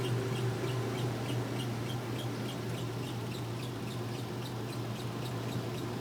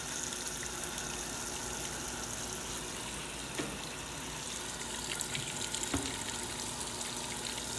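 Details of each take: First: Washer spinning: quick even squeaks about three a second over steady low motor hum, from fill hoses rubbing together behind; belt also suspected to need tightening or replacing. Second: Washer starting a wash: quiet, steady gush of water filling the tub with a faint pump hum; normal water fill.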